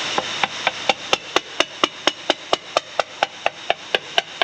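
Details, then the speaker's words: Hammer tap test on a cracked part that was drill-stopped and ground out: steady taps about two a second, the ring going short and dull at the cracked spot, marking the crack. "yeah that's where the crack is can hear it plain as day"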